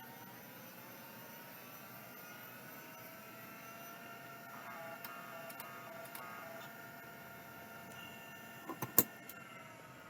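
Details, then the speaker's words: Old Seagate ST-4053 hard drive spin-up test: faint whine climbing steadily with a few sharp clicks near the end; reportedly not the sound these drives should make, working status unknown. "I have no idea if that's working someone told me that that was not the sound these are supposed to make so I have no idea"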